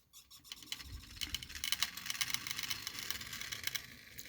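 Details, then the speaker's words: 3D-printed Newman pulse motor, smaller prototype about 40% scaled, running at about 3.6 volts: quiet light ticking about twice a second, slightly uneven, over faint room hiss; works really well, normal running. "but yeah this thing works really good"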